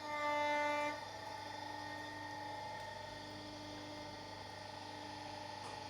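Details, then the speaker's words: Rebuilt Mercedes 210 hydraulic steering rack (was leaking, knocking, binding) on test stand with Servotronic valve powered: steady smooth even hum, no knocks or squeals, turns easily both ways, builds pressure, dry; normal operation. "Вращается в обе стороны идеально, легко. Также давление дает в обе стороны."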